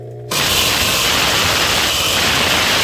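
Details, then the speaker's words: Consul 7.5 kg washing machine on spin cycle: harsh, steady scraping hiss starts abruptly and holds without letup, so loud it was unplugged; something rubbing inside, cause not yet found. "o jeito foi tirada da tomada porque ninguém aguenta esse barulho aqui dentro de casa é muito forte muito barulho né"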